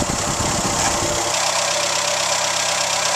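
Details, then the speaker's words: 1995 Suzuki Sidekick, 1.6L G16 engine at idle: loud steady hissing whir over a quiet idle; owner suspects the water pump and replaces it; bearing whir at idle. "I guess I need to order a water pump."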